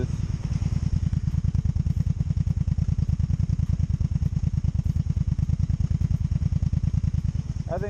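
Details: 2002 Honda Magna VF750C during a rebuild, idling with a steady low thumping, slightly lumpy and uneven. One side is working okay and the other side is a mess, as if one side isn't pulling its weight. Cause suspected, not confirmed: uneven idle.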